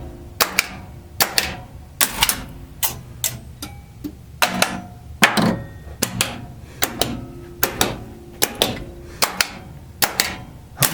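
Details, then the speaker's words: Bally Playboy pinball machine, solenoid test heard from underneath the playfield: sharp, crisp clacks about a second apart, each clean and strong; normal solenoid test. "figured it might be mildly amusing to see the solenoid test run from underneath the play field"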